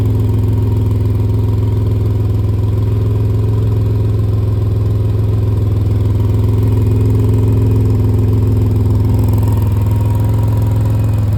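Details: 2005 Pontiac Grand Prix GTP with little to no rust, loud steady idle with a rough puffing tick riding the exhaust note; exhaust leak the owner needs fixed.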